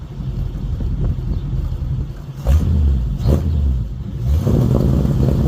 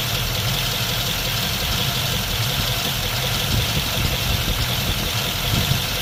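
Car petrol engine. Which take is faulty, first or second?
second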